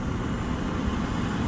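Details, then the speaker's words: 1999 Chevy Astro AWD, 4.3 V6, idling about five minutes after new aluminum radiator, hoses, thermostat, flush and secondary trans cooler, coolant and temperature being watched: steady even rumble, no squeal, tick or hunting; healthy idle. "sounds like it's doing great"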